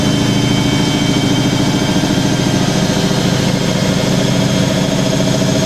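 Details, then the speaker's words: Hoover A3060 Electronic 1100 washing machine, almost 47 years old, spinning vintage bedding and towels at 1100 RPM: steady fast whirr with a light, even tremble and no knocking or scraping. A normal, smooth, healthy spin. "nice and smooth it's 1100 RPM"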